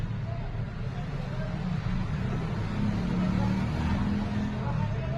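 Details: Maruti Eeco manual gearbox after replacing worn-out countershaft bearings, engine and gearbox run with a low, even hum, completely silent with no whine or growl.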